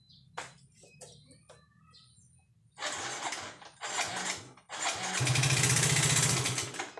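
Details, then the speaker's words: Soul GT 125 motorcycle brought in as stalled and not starting, run with no oil: several short starter bursts, then catches with a harsh, clattering, uneven run; oil starvation. "suaranya kasar sekali top olinya dulu olinya tapi tidak ada olinya ya"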